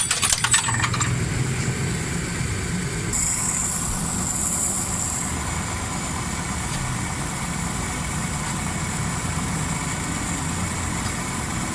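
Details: Suzuki Cultus three-cylinder idling after tuning, previously loud when revved with fully black plugs, high fuel use, smoke and carburettor not accepting mixture adjustment: even, steady idle with smooth low hum, no misses, knocks or flat spots.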